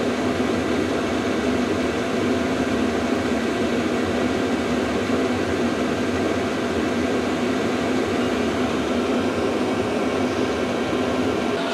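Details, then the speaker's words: VEVOR diesel heater turned up to level 10 of 10, pump and fan rate increasing and temperature ramping up from about 40 degrees: a steady, even roar of fan and combustion with no knocks or surges, quite noisy; normal running at high output. "Okay, you can hear the pump increase and the fan increase. Okay, and temperature starts ramping up. It's quite noisy."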